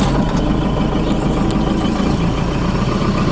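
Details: Cold diesel machine started at about thirty degrees settles into a steady, even idle with a deep low rumble and no knocks or misses, sounding healthy before warm-up.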